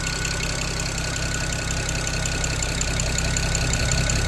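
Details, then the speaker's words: 2007 BMW 335xi twin-turbo inline-six revived from non-running, low on possibly old fuel: steady idle with a light, uneven tapping about two to three times a second. Owner guesses a noisy lifter, unconfirmed. "Just have that one super noisy lifter, I'm guessing. Not really entirely sure what that is. I think it's just lifter."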